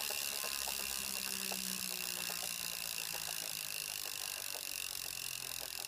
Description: Just got my new Kickr. It seems to be making a weird clicking / rubbing noise on the belt. Is this normal?